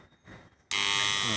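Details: Old magnetic contactor with 220 VAC coil (about 2 kΩ measured) buzzing loudly the whole time it is energized: sudden harsh electrical buzz; rusty core faces give poor pull-in, causing heat, so the unit is unusable.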